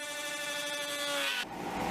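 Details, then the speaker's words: X-Carve CNC cutting a maple and walnut dessert tray with a 1-inch diameter, 1/4-inch shank dish carving bit: hard buzzing tone with strong overtones shifting as the cut changes, router chatter persisting despite hand damping and tightened belts. "on the next tray I tried using my hand as a damper and then tightening the belts but nothing really worked I still got shattered like this"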